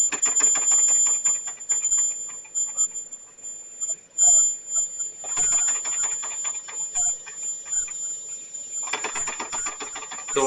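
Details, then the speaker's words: Homemade boiler for a miniature steam engine, not yet at 15 psi: thin, steady, very high tea-kettle whistle; steam shooting out the back past the valve, losing pressure so the engine barely runs. "It's running longer. I think I'm just losing too much through this valve."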